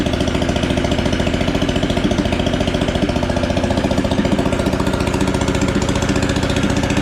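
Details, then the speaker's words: Engine swapped into a John Deere AMT600, open pipe with no muffler, started after draining the carb bowl the day after it flooded: sharp uneven bark about 3.5 pulses per second; running rough, exhaust "not happy", cause unconfirmed. "Yeah, we got to do something about that exhaust. It's not happy."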